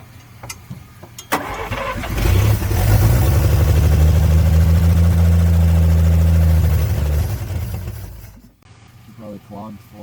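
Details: 1954 Chevrolet 150 six, long-sitting, first run before carburetor cleaning: after a short crank it catches and runs with a low, lumpy beat around three pulses a second, then dies; rough running, cause suspected, not confirmed.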